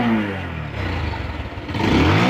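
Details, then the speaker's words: Bajaj Pulsar single-cylinder motorcycle after service with new engine oil, hydraulic fork oil, air filter and rear brake shoes: revs pick up crisply, drop back and rise again, firing evenly with no knock or rattle; engine sounds healthy. "ইঞ্জিনের আওয়াজটা আপনারা শুনতে পাচ্ছেন, একদম নিখুঁত আওয়াজ।"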